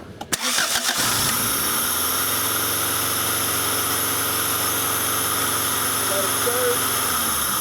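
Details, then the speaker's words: 1994 Acura Integra, 1.8 L DOHC, surging warm idle: started with a finger over the lower throttle-body port for the cold fast idle valve, idle settles much lower and steadier. "When I plugged the upper one, it did come down a little bit, so we do have some airflow through that upper chamber. When I plugged the lower one, it was really good. Our idle came way down"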